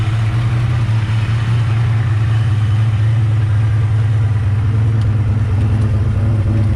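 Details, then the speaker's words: Ford Mustang (Fox body) turbo 363 stroker, turbo kit about 20 years old fitted last year, after fixing a long-standing tick; cold start, steady smooth low idle rumble with no ticking between firing pulses; normal cold start idle. "definitely fix the issue that we had that turbo Kit's probably 20 years old just got put on last year definitely definitely nice I don't hear any tick whatsoever perfect"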